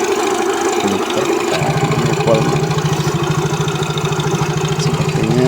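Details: Yamaha Mio J scooter engine idling with a loud, fast, uneven metallic clatter from inside the engine, not piston or CVT; cause was the cam chain, replaced with its tensioner and guide.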